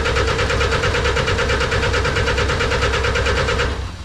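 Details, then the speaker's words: Snowcat turbo diesel first start after bleeding the fuel system. Steady starter cranking at about three beats a second that never catches. No-start; owner thought air was still being purged, but the fuel pump fuse was found missing. "I think it's still just working all the air out of the system I might uh crack an injector here let's see if it's spitting any fuel"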